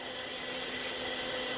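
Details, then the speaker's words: Hard drive in an Acer 900 286 computer booting MS-DOS: steady shrill whine with a hissy, grating edge from worn spindle bearings: hard drive bearing whine. "wasn't that hard drive if you can actually hear it over the bearing noise"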